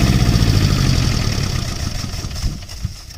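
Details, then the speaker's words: Kubota J106 diesel generator after replacing the overload-damaged AVR (no-voltage fault) with an online-bought Chinese unit: catches and settles into a steady, even low chug, no knocks or misses; now giving full voltage, running smoothly. "ये देखा दोस्तों आपने, AVR change करने के बाद बिल्कुल ज़बरदस्त हो गया है और पूरी वोल्टेज दे रहा है।"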